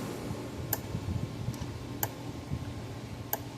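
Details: Gallagher B1600 electric fence charger, about 10 J output, repaired, on full power under resistive test loads near 500 ohms: sharp single clicks about every 1.3 seconds, evenly spaced; pulsing normally under load.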